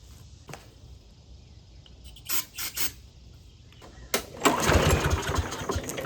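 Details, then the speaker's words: Old Craftsman push mower that sat over 2.5 years, fresh gas, air filter off and carb cleaner sprayed into the intake: pull-cord rasps, then a ragged burst of firing that fades out. It won't run on gasoline; the owner suspects low compression, priming or the carburetor. "Okay, well that was something. All right, it's not wanting to run on gasoline for some reason. This thing may have low compression."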